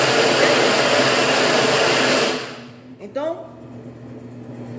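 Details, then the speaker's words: Consul clothes washer that starts running as soon as it is plugged in: loud, harsh deafening motor roar cutting off abruptly, as the shorted control board drives the motor directly. "e a placa tá em curto não tá mandando já tá ligando o motor direto que você nem ligar lavadora e quando eu ligo a lavadora ela já faz esse barulho ensurdecedor"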